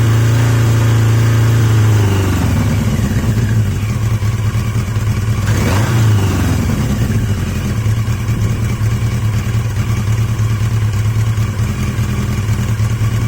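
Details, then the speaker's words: Yamaha XJ750 "Mack" after a carb swap using the XJ650's carbs, filmed outdoors in wind; revs drop from a blip into a low, even idle that holds steady, the best idle yet, a healthy-sounding four-cylinder. "I think that's the best idle I've had I'm not entirely sure you're going to hear anything it's so windy it's blowing everything out but that sounds quite [Music] [Music] healthy"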